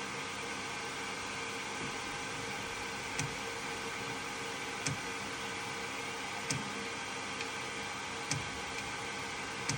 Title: Real issue is around 1.07 you can hear the clicking noise and nothing happening